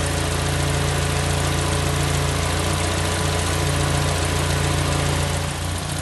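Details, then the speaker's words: Warm engine at idle, just up to temperature: even low hum with a soft rushing as the cooling fans cut in. Normal idle. "that's it we're up to temp the fans cut in"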